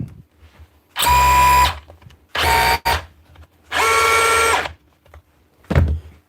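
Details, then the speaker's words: Hammer drill test-run after repair: three short trigger bursts, steady high motor whine with even hammering buzz and clean stops; normal operation. "should be her ready at the hammer spot on one fixed"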